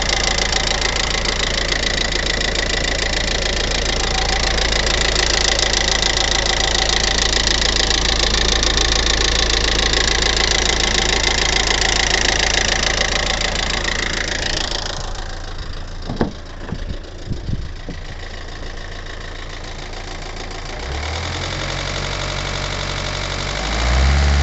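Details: 2015 Hyundai i40 idling: steady fairly loud ticking, about three to four ticks a second, louder after the timing chain was replaced.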